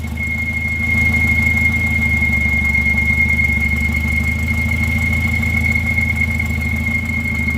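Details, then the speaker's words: Volvo at idle: constant high-pitched squeal holding one pitch from the belt drive; owner suspects a bad pulley, very likely the harmonic balancer, but unsure. "Sounds like a bad pulley. It is very likely the harmonic balancer. But I don't really know."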